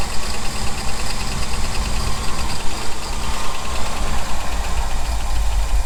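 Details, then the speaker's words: 1975 Ford F350, ex-Seattle Fire Department, not run in about 20 years, just fired up after filling the float bowl: low, lumpy idle with a light ticking that keeps pace with the engine. Suspected valvetrain noise. "a little bit of noise yeah here's some like valve frame noise huh"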